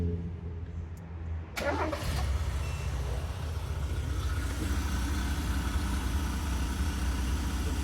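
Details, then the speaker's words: 2000 Mazda B2000/Bravo van, carburettor engine converted to LPG, very high kilometres, running after the failed MCV carburettor valve that caused shaking and misfire: low, uneven idle with stumbles; some roughness, possible exhaust leak and hissing from the LPG converter. "so this MCV Dash pot whatever it's called not exactly sure what it's called has struck again"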